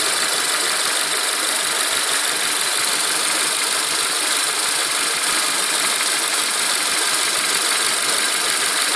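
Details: Renault Megane K4M engine at idle with an irregular non-typical knock that sometimes disappears for a second or two; timing belt kit and dephaser pulley changed under 30k km ago; owner suspects hydraulic lifter, tappet additive added.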